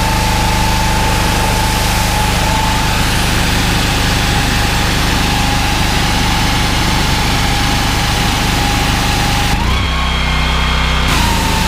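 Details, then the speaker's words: Honda GX390 13 hp driving 21-litre pressure washer pump: steady single-cylinder drone that dips in speed and roughens when trigger pulled; engine struggles and bogs under load. "okay so you can obviously hear the Honda struggling there as soon as you pull it in the trigger the engine speeds you certainly notice a dip in the engine speed"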